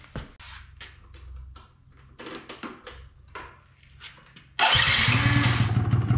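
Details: 2005 Yamaha Zuma YW50 two-stroke scooter, next day, oil seeping from oil level sensor: several weak cranking bursts, catches with rough uneven buzz that fades; won't stay running; secondary ignition coil later measured bad (8.52 vs 2.9 kilo-ohms).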